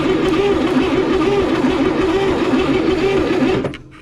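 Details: 1961 Chevrolet Corvair first start with new points and rotor, spark seen at points: starter churns the engine at an even pace for a few seconds without firing, then stops; cranks but won't start.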